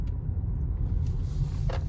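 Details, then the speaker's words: 2024 Volkswagen Atlas 2.0 TSI driving while turning after the grinding-noise repair: even, low road rumble with no grinding or speed-related growl. "I'll put a clip up again before how it sound before we did the repairs but it's it's good"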